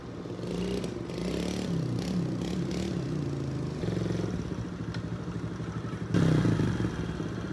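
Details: Old carbureted dirt bike after idle adjustment screw turned one full turn: steady low putter with light top-end clatter and a short throttle blip; idles evenly, runs good.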